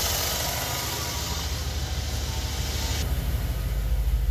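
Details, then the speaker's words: 2011 Chevy Traverse 3.6L with code P0008 and check-engine light, cold start after sitting all weekend: fast uneven metallic valvetrain rattle fading as oil arrives, timing suspected, not confirmed; rattle after cold start. "oh yeah made a pretty good noise there you guys just from a little bit of luck oil right away so it got up into the valve train you can hear it rattling"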